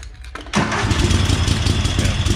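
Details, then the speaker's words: 1998 Craftsman GT garden tractor with a Kohler V-twin that came with a house, started on choke with fresh gas and a different battery. A brief crank, then it catches into a smooth, even Harley-like twin idle with no tapping or misses. "this thing has a nice sound to it really sounds like a good v2 like a harley v twins nice and smooth"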